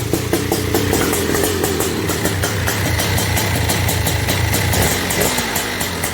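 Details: Honda TRX250R two-stroke, first start, OEM ignition at zero-degree timing, 38:1 premix: uneven burbling idle with muddy, blubbery note; carburettor running rich and needs rejetting.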